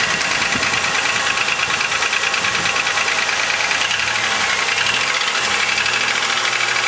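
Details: 2000 Chevrolet Malibu 3.1L V6 with 145,000 km at a cold idle: sharp, uneven clatter about three times a second over the engine hum, only slightly better when warm. Suspected piston slap; flush and thicker oil didn't help.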